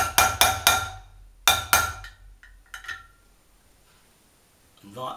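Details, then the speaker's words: Honda CB500S front wheel bearing fitting, new bearing hammered in: several crisp, solid hammer blows with no dull give; bearing fully seated, confirmed by centre spacer tight against inner races. "sounded very like it was seated so I'll just make sure the central space are squared up"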